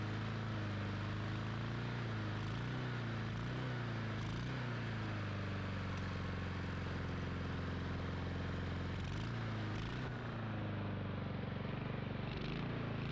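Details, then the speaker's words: Lawn mower after carburetor work, started with a drill with the cover off. A small single-cylinder engine runs on steadily with a slight hunting note and won't shut off when the bail is released. Cause: a bent kill contact to the coil. "problem now when I release the bill this didn't shut off what happened I don't know so I'm gonna have to take a look under here and see what's going on because I had to pull the spark plug wire to get this to stop"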